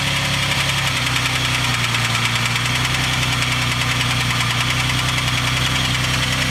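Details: 3000GT/Stealth twin turbo, cold start: fast light ticking about three a second over a rough cold idle; owner says the start-up sound is lifter tick.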